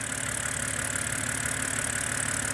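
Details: BMW E89 Z4 3.0 N52 straight-six (40,000 miles) idle after a stuck timing chain tensioner was replaced. Smooth, even idle with a steady low hum and light, regular valvetrain ticking; no knocks or rattles; healthy.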